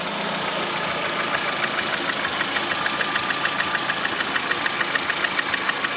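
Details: Lada Priora with 21126 engine at idle: sharp metallic ticking at about 200 a minute rides steadily over the idle; a knock inside the engine, cause not pinned down.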